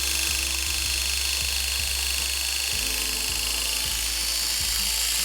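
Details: Hair clipper with an unoiled blade fitted: high, strained buzz with a harsh dry rasp over the motor hum; blade running dry, needs oil.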